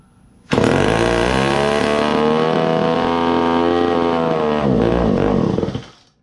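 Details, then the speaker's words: Old Poulan 306A chainsaw, sat on a shelf for years, first run after carburetor rebuild and cleaning: steady buzz that sags and labors unevenly before dying off; still out of tune, bogging at idle. "well old saw and carburetor cleaning still need some fine-tuning I'll probably make another video on getting this thing tuned properly"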